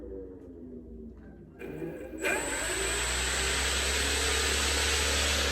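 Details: CY Models 100-inch Cessna Bird Dog electric conversion, after ESC calibration: quiet, then motor spins up to a clean steady high whine holding level without stutter; runs normally.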